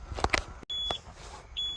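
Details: A Peterbilt 379 with an air leak, restarted on a cold Georgia day (about 38°F). A steady high-pitched buzz cuts in and out: the low air alarm, which should stop once pressure is over 60.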